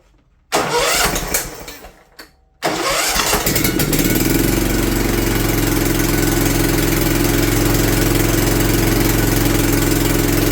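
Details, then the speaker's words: John Deere LT150 after engine removal and governor replacement, test run before warm-up: cranks, catches and idles with a sharp puffing tick in time with firing from a leaking exhaust gasket; struggles to stay running, owner suspects fuel pump. "wonder if it's that fuel pump you can hear my exhaust gasket too leaking"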